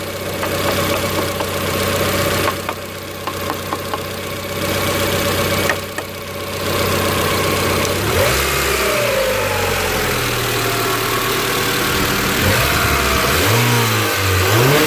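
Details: 1990 Honda Accord, customer complains idle goes up and down when warm; idle slightly high, check engine bulb removed: warm engine will not settle, speed rises and falls in slow, uneven swings; idle surge, cause not determined.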